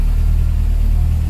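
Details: 1996 Nissan Pickup Hardbody, Z24 carbureted four-cylinder, restarted after a carburetor overhaul and battery charge, unused for four years: deep, steady rumble with an even beat and no misses or rattles, a smooth healthy idle.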